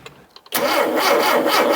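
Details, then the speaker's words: Barn-find Mini Cooper with SU carburettor, parked for years after 10 years of use, primed with a little fuel from an aerosol cap: near silence, then it catches abruptly with a rough, rising roar; first start after long storage. "Wow. There we go. Sounded nice. Sounded really nice."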